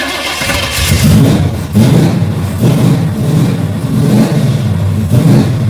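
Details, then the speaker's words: Holley carbureted engine, rebuilt carb, fuel pressure fluctuating about 7 to 10 psi with cheap regulator: lumpy idle surging and sagging about once a second, won't stay idling; stalling. "Let's see what's going on with this thing. Won't stay idling again."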